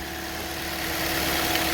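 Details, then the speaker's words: 2013 Toyota Corolla 1.8 16V flex-fuel with CNG, automatic, after alternator with seized overrunning pulley replaced: engine idles smoothly and evenly, zero belt noise, no squeal or rattle. "carro ligado de novo zero barulho"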